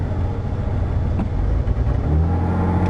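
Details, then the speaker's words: Ford Crown Victoria just jump-started with a little gas added: steady, even low rumble at idle with no misses or knocks; normal idle. "Yeah, we'll idle her up for a little while. Alright, still running."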